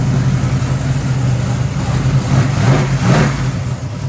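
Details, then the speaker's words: Cammed LS-swapped G-body Monte Carlo SS after new header gaskets, spark plugs and a full tune-up: deep, lumpy V8 idle with choppy cam lope and a quick rev, no exhaust tick or leak; normal idle. "And you hear that Black Ghost chopping. The Black Ghost is running shit."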